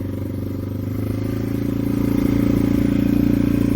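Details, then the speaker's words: Yamaha TW200 single-cylinder, hard-starting, after tilting the bike to prime the carb with fuel: it catches and settles into a steady even thumping idle that grows slightly louder; it starts and runs cleanly. "the trick that I use to start my bike when it will start very pranks for a long time and won't fire"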